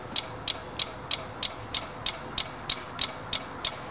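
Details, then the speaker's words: 2003 Dodge Dakota 4.7L with stalling complaint and faulty alarm system: sharp even relay clicking about three times a second with the ignition key off, coming from the engine relay area, likely in the starting circuit. "I heard this clicking while I turned the key off getting ready to go home I'm going to show you the area now you should be able to hear that clicking it's not supposed to have that clicking sound"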